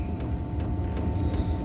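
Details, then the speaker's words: 8 kW Gearzaar Chinese diesel heater start-up, drawing about 5.3 amps through a 10-amp switchover module; fuel pump ticking about twice a second, fan slowly picking up, exhaust blowing, steady low rumble, normal start-up. "Pump's just kicked in, as you can hear. Still rating at 5.3. Fan starts slowly picking up. I can hear the exhaust blowing now."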